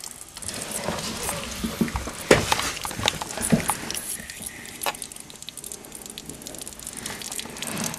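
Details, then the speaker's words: Dishwasher water inlet valve as the hot water tap is turned on and it fills: irregular hissing and spattering with sputtering bursts instead of a smooth fill; the valve leaks at its solenoid and the whole valve needs replacing. "A dishwasher is not supposed to sound like this. As you can see, once the hot water tap was turned on, the dishwasher valve started to leak water. The valve is leaking from the solenoid and the whole valve needs to be replaced."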